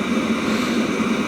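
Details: Webasto Thermo Top C auxiliary heater from a BMW E60, bench-run after repair with no errors and temperature rising. Steady, even burner and fan roar with no surging, popping or smoke; running cleanly.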